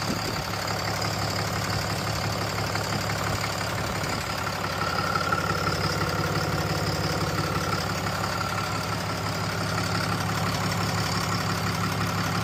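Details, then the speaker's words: 6.7 Cummins diesel just after installing a BD grid heater fix kit and bleeding air from the fuel system, first start to check for leaks: even idle clatter at about three beats a second, holding steady with no stumble or hunting; healthy. "Okay, now that we've bled the air out of the fuel system, we're gonna fire it up and check for leaks."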